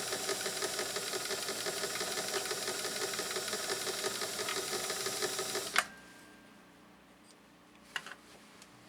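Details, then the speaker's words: Singer 328K sewing machine running: steady rapid clatter of about three ticks a second; bobbin case not adjusted to the raceway, allowing excessive movement. "Part of what I'm seeing too is that this bobbin case is not adjusted and calibrated properly to the raceway. It's getting a little bit of excessive movement."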